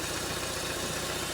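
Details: 2011 Ford EcoSport, Zetec RoCam engine; uneven, lumpy idle with a hollow beat; misfiring on two cylinders (2 and 3) with no spark at their coil towers because the ECU module sends no signal to the coil.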